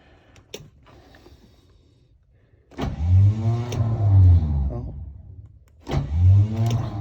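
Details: Chevy 454, cold start attempt #3 at about -28°C (feels mid-upper -30s), battery recharged after dying and engine plugged in 1.5 hours; heavy, slow, labouring crank in two long bursts with low groaning sweeps, starter dragging in deep cold.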